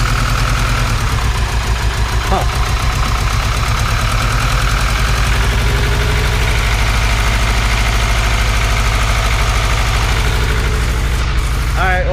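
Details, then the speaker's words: Supercharged Honda Integra at idle: uneven, stumbling idle with an irregular lumpy beat, a misfire later traced to two spark plug wires swapped. "looks like we had a misfire I do not know why"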